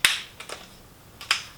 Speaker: i can tighten this in with my hand like that and and it's tight right